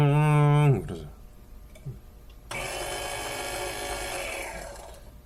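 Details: Empty Korean-reviewed electric coffee grinder (Fellow Ode, Obanic 080 or Baratza Encore compared) idling with no beans: high, even whir with light fast ticking and no load on the burrs; spins smoothly.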